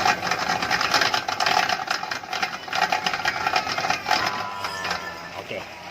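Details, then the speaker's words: Proton Saga FLX under load with steering turned: rapid steady clicking keeping pace with the wheel, absent straight; noise located at the front right wheel, bearing or driveshaft suspected. "oke kalau bunyi begini biasanya masa ala driveshaft bila lurus bunyi itu tiada bila kita pusing steering"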